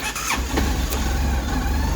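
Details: Kymco My Road 700i scooter after crank sensor replacement and a new battery, which cured the owner's long-crank hard start: a short crank, then the engine catches immediately and settles into a steady, even idle; a clean, healthy quick start.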